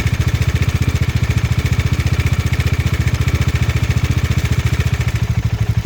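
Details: Bajaj Dominar 400 at steady idle before tensioner replacement: light, fast ticking rattle over the firing beat; worn cam chain tensioner with excessive play letting the chain slap, cured by fitting a new tensioner.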